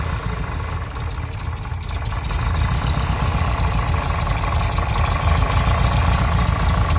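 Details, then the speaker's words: VW Type 3 air-cooled engine in a Kombi van, fine when cold, warmed slightly and idling: deep, uneven internal knock about four beats a second, changes when oil filler cap is removed and fades on acceleration. "prendió muy bien cuando la escuchamos frío a todo dar a todo dar frita n más se calentó tantito y empezó eso"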